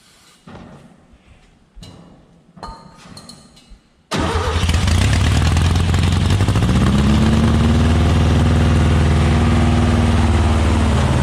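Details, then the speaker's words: Volkswagen Beetle-based Model T body kit car, sat about 30 years, throttle return spring disconnected: after a few cranks fires into a loud, rising rev with a lumpy beat, held up on throttle; runs rough, won't idle, needs carburetor, fuel pump dead. "it runs there's a bunch of work that needs to end of it brakes don't work won't idle so it needs a carburetor fuel pump doesn't work"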